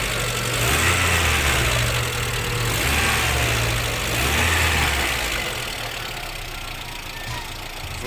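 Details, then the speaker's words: 2009 petrol car engine at idle after a Liqui Moly additive and a short drive: a light, fairly regular tapping of the hydraulic lifters over the engine hum, noticeably quieter than before. "ну гидрики стучат но уже существенно меньше"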